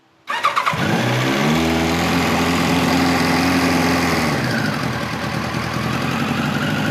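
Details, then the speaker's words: 1989 Kawasaki ZX-10 (ZX1000) with Keihin carbs, started with the enricher (choke) on, fires to a fast, wavering idle that sags and stumbles; smells extremely rich, dies on any throttle, and the slow circuit is suspected. "as soon as you get into this thing at all it just dies that's slow circuit yeah she don't want to run at all even hardly with the enricher on it"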